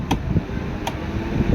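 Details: Super Asia air cooler converted to 12V DC, about 11.5V battery, fan on slowest third speed drawing about 2.25–2.5A; low soft steady hum, no rubbing or rattle, faint occasional tick; fan running normally at low speed.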